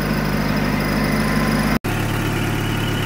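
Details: 1994 Toyota pickup 22RE four-cylinder parts truck, good engine: smooth, even low idle hum with no knocks or misses; slightly hard start, possibly water in the distributor cap.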